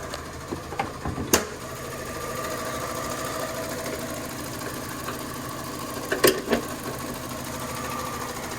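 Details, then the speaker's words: Fiat 500 at 48,924 miles idling: fast, even light tapping that changes when the clutch is pushed down; suspected worn clutch thrust (release) bearing. "So what that is, and I've come across this before, not particularly on a Fiat 500, but any car, if you push the clutch down, you hear that? So that, guys, is the thrust bearing"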